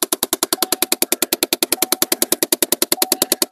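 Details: 2012 Chevy Impala 3.6 L: sharp, even clicking about three times a second from behind the glove box; the HVAC fresh-air/recirculation door actuator's plastic gears are stripped, and the clicking stops when the actuator is unplugged.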